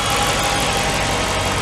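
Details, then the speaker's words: Dodge SRT8 Challenger V8 after 100k maintenance, heard from the rear at the exhaust. A steady, even rumble with no knocks or misses, a normal idle. "That thing is mean, baby. She's mean. Listen to that. Oh, it sounds good. She's purring."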